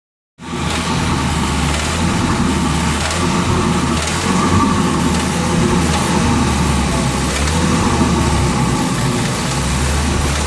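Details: Ford Focus RS petrol engine running steadily, with a faint, uneven rod knock under its low rumble.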